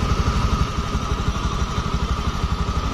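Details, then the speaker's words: Honda automatic scooter after replacing the rear pulley bearings in the CVT case (previously rough noise): even low idle thump, rear wheel turned by hand stays smooth with no bearing noise; normal smooth CVT. "Nah sekarang udah lembut roda belakang dipegang enggak kedengar suara beris"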